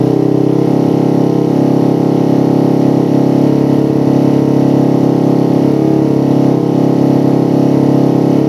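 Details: Motorcycle with a PWK carburetor and racing exhaust after curing the helicopter-style stutter (brebet) by resetting the air screw to about 2.5–3 turns. Fairly steady idle with a slight swell in speed and no stutter or popping: normal idle.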